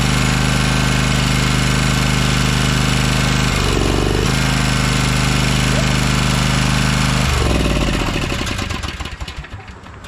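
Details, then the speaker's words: 2012 Toro Timecutter SS 5000 zero-turn, after fixing the rockers and setting the valves to about 6 thou: loud, steady, even drone at full speed with a brief dip, then wind-down; both cylinders now firing, with smoke from the side that had not run. "and you can see a lot of smoke coming off the engine that's because one side has not run in a while we got two cylinders guys"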